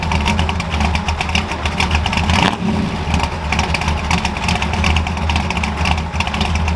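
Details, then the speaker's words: Ford F100 carbureted V8 just after installing a McLeod aluminum lightweight flywheel and Super Street Pro clutch, exhaust back on; expected higher pitch from less rotating mass. Deep steady burble with crisp rev rises dropping back cleanly; normal running and revving. "It should sound a little bit higher pitched because there's less rotating mass, less throat."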